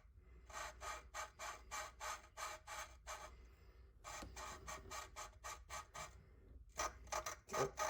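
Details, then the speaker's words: Audi A4 valve lapping by hand: rhythmic gritty rasping bursts, about three a second, as lapping compound (120 to 220 grit) grinds the valve into its seat, sound starting to change toward smoother. "and you can hear that grinding so let's go um let's get this one done it's starting to change a little bit"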